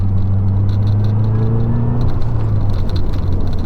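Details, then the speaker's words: 2012 Mazdaspeed 3 driving after a stiffer transmission mount was installed. A steady gear whine over road rumble eases in pitch while slowing; the owner always hears it in first gear and now more often. Normal transmission gear whine. "That whine is the gears. I always hear it when I'm in first gear slowing down, but now I can hear it a little bit more on the regular."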